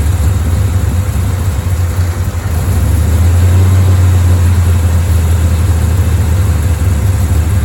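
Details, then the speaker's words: Bel Air V8 rough idle during timing work, aiming for about 1000 rpm idle and 12–15° advance; loose, lumpy, surging low burble close to stalling, won't stay running long enough to adjust; later set 12° at 900 rpm. "and here's the problem can't get it to stay running long enough to adjust"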